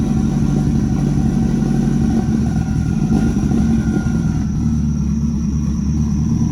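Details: Rebuilt Nissan Juke project, first runs after the build: the engine idles on its own while warming up, with a deep, steady, even rumble and no knocks or hunting. The air-fuel readout was not displaying, and a small oil leak was noted afterward.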